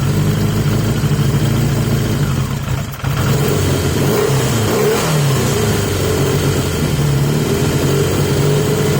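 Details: 1980 Yamaha XJ650 four-cylinder, back on the airbox with the filter flipped and reseated. Quick idle dips once and recovers, then sits raised but steadier with an even beat. Better, but the high idle is not cured and the cause is unknown.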